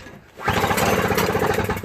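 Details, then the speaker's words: Toro CCR 3650 R-Tek single-stage snowblower: electric starter whirs freely without turning the engine. Its gear teeth don't move up to engage and freewheel. "The teeth of the electric start is not moving up as you push it. So it's freewheeling."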